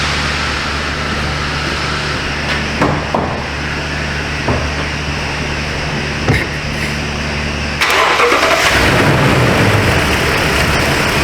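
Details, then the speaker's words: 2020 Toyota Tundra 5.7 V8, thought to be under 50K miles. It won't restart after running a few minutes until it cools off or is sprayed with ether. Starter cranks steadily, about three beats a second, and never catches; fuel pressure drops to nothing. "okay so fuel pressure is down to about nothing that's what happened let me uh crank it again all right so okay so that's definitely our issue is lack of fuel pressure"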